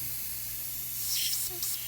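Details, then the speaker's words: New turbo wastegate bench-tested with shop air applied to the ports: sharp steady hiss that swells and cuts as a finger covers the port; air leaking past the wastegate diaphragm. "again you can hear that air leaking by as I move my finger over that port so this one is leaking as well"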